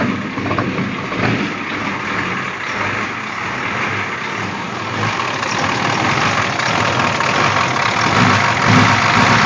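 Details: 6.9 diesel in a Scout, after glow plug replacement and cleaning, idling: loud clatter with a loose, uneven beat and constant smoke; fuel filters flow well, owner suspects a fault after the injection pump, not confirmed.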